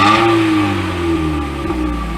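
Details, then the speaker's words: 1998 Sunfire on the ground after a new muffler, leak test: a clean rev falls away smoothly into a steady, even exhaust tone with no rasp, rattle or leak; much quieter than the old one. Normal exhaust note. "sounds way better we're testing to see if there's leaks anywhere a week anywhere that's all right you don't need a creeper so much quieter than the other"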